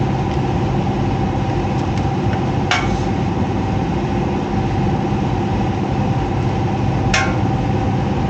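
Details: Heat pump with electric heat, top panel removed: heavy steady low rumble with a couple of sharp clicks; the blower fan wheel is damaged and cannot be removed without ripping the whole unit apart.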